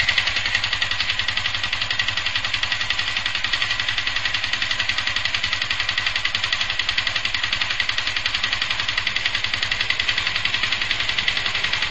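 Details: Yamaha FZ150i at idle: fast, even metallic clatter of about four ticks a second, worsening daily with growing vibration; returned days after overhaul, engine bearing and primary driven gear replacement; owner suspects valves, cause unconfirmed.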